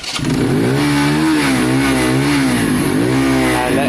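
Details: Keeway/Benelli 125cc single after carburettor clean, just started, idle noted as a bit low; note rises and falls crisply with each throttle blip and returns evenly, clean responsive carburation, normal revving.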